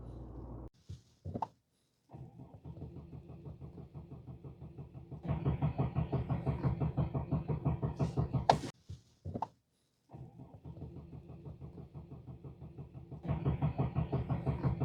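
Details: 2016 Mercedes-Benz E300 (W213), 220,000 km, petrol, after fuel hose replacement for a fuel smell: starter churns evenly about three beats a second, twice, never firing; no-start later traced to faulty ignition coils and spark plugs.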